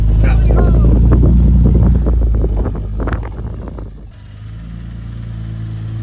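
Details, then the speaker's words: Jeep Cherokee XJ 4.0 engine before a motor swap: the engine revs and then drops to idle, with a regular ticking at about 220 per minute throughout. Abnormal internal noise of unclear cause, and the motor is pulled. "Oh, what is that? No bueno."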